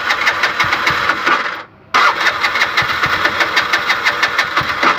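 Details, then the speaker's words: Bajaj BS6 LPG auto-rickshaw, injector failed and replaced elsewhere but still not fixed: rapid, regular starter chuffing, a pause, then more cranking with no firing; no-start blamed on the failed injector. "ಗಾಡಿ start ಆಗ್ತಾಯಿಲ್ಲ. ಇದು injector ಹೋಗ್ಬಿಟ್ಟಿದೆ."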